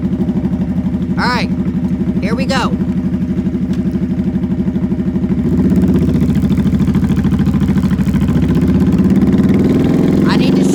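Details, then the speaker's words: Motorcycle accelerating in first gear: engine note climbs steadily then flattens near the top, signalling it's time to pull the clutch and shift up. "Did you guys hear how it got higher and higher until it couldn't get higher anymore? That is the noise it makes when you need to shift."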